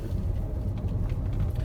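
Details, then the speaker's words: 2012 Renault with EDC automatic gearbox, 115,000 km, steady deep hum and growl from under the car starting as it pulls away and rising with speed, stopping when stationary; worn gearbox bearings. "ciddi bir uğultu sesi hırıltı sesi araçtan geliyor hareket etmeye başladığımız an ses başladı"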